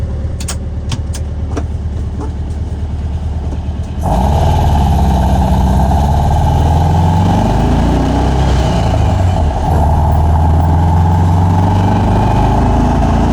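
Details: Normal exhaust note from a new Vintage Speed stainless exhaust on a fuel-injected 1979 US-spec VW Super Beetle, mic clipped to rear bumper by muffler while driving: deep, even burble climbing through gears, dropping on shifts, no rasp, leak or rattle.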